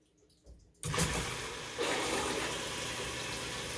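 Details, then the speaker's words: Maytag washer with low-flow error, fill valve plugs swapped onto the unused fabric softener and oxy valves: click then strong, steady rush of water, never sputtering; fill valve flowing fully. "a lot of water flowing can you hear that"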